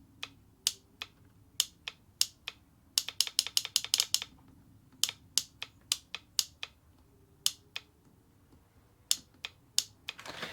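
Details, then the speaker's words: Vauxhall Corsa D 1.4 petrol EVAP purge valve, engine off, fed directly from the battery: sharp dry clicks in fast uneven bursts, very loud; noisy purge valve causing the common tick, replaced with a Bosch 0 280 142 486. "that is really loud like really loud and what you got to understand this thing is like shuttling so fast you probably couldn't blink quick enough it's like click click click click click click it's really quick"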